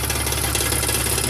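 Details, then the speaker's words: 2001 BMW E46 idling, recorded under the car after just passing smog: steady idle with fine continuous metallic rattle underneath; owner suspects failing catalytic converters, holding pipes down doesn't change it, not confirmed. "Alright guys, 2001 E46, got a rattling noise. Sounds like it's the cats that are basically going out after just passing smog."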